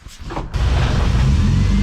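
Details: Nissan 240SX engine, rebuilt after a snapped timing chain let the pistons hit the valves, with timing roughly set at the distributor: catches after a brief crank and settles into a steady, even idle with no knock or misfire.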